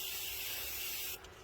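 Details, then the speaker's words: 2009 Citroën C4 Picasso with air suspension that sags whenever the compressor stops, car raised: loud steady hiss of escaping air, cut off abruptly, from a badly leaking air spring bag that is to be replaced. "et constaté la fuite elle est juste monstrueux c'est juste impressionnant"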